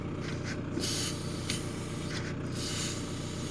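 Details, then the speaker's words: VW Sharan 1.9 TDI at idle: short sharp air hiss each time the brake pedal is released, louder when the servo's rubber boot is pulled back; brake booster (servo) leaking vacuum, servo damaged. "to słychać jak syczy, czyli będziemy mieli uszkodzone serwo hamulcowe."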